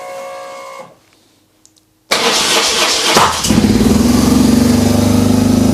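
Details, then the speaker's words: BMW R 1150 GS motorcycle cold start after wiring harness restoration and Hall effect sensor wire repair: silence, then a sudden loud pop as it fires, settling into a fast, high idle with a stuck accelerator cable; backfire on cold start. "but that pop absolutely scared the life out of me but the bike started so that's a win"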